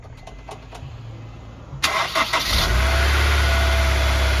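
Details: Honda S2000 after a new serpentine belt on the AC-delete routing with the broken AC system bypassed: brief crank, quick catch, then a smooth, steady idle with no belt squeal or slap, though a code appears afterwards; engine runs normally.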